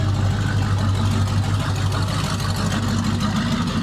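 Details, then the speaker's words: 1988 Chevrolet Silverado V8 with EFI kit, long parked, engine temperature 140: deep loping idle about three pulses a second with occasional dropped beats; misfiring at idle, owner suspects bad gas, Sea Foam added. "can tell that she misfiring too boy that bad gas I put some C foam in it but it just needs to be driven"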